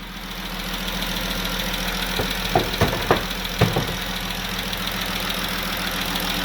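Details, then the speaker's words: Jeep Grand Cherokee 3.6 Pentastar V6 idling: sharp light ticks over a steady hum, coming from bank one and pointing to a rocker arm. "y'all say ladies and gentlemen this is bank one that ticking noise is coming from bank one"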